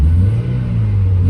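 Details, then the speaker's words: Mazda Miata, warmed up, after curing a misfire (bad injector, running on three cylinders) with new plugs, wires, fuel filter and fresh fuel: quick throttle blip with a deep, even exhaust note, no stumble, all four cylinders firing. "Well, it's just been sitting idling for a bit, and you can even tell, like, instantly. It runs much smoother, and then you give it a good little"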